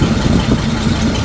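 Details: 1941 Chrysler flathead six on test run, no coolant: lumpy, uneven low idle with a stumbling beat instead of a smooth hum, misfiring from two swapped plug leads.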